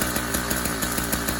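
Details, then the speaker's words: Newly installed YD100 two-stroke engine on a Kent Bayside Cruiser bicycle, cold day, about one minute of running on full then half choke: fast, even buzzing putter firing steadily and slightly rich; expected to smooth out once warm, normal. "the guy will smooth out after it warms up"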